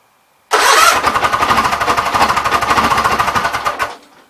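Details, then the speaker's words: Gravely 8199KT engine at 1931 hours, first start after governor replacement: engine runs with a fast, heavy rhythmic clatter like a wet bag of hammers; the noise seems to come from something touching the flywheel, while the governor works. "Kind of sounds like a wet bag of hammers at the second. Oh, that's the flywheel."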